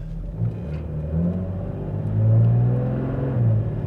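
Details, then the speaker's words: 1995 Mercedes E320 W124 wagon automatic on level ground, after tightening the accelerator Bowden cable: engine drone climbs then drops cleanly into the next gear without flare or thump, a good normal upshift. "oh that was a good [Music] one"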